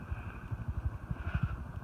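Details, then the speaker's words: Antique Hunter R-36 36-inch ceiling fan with 2-speed pull chain, running: low, quiet, even hum with no clicking or scraping. Bearings are in good shape and the motor runs smooth and healthy. "Nothing here, she runs quiet."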